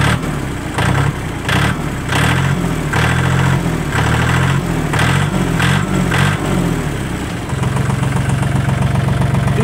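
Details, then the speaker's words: Kubota L1-22 mini-tractor diesel, started with the clutch depressed: it starts quickly and easily, then settles into a steady, even, fairly quiet idle with a smooth low rumble and no knocks or misses; normal idle. "давайте запускать всегда через и что и сцепление запустился очень быстро и легко и просто работает ровно довольно таким тихо"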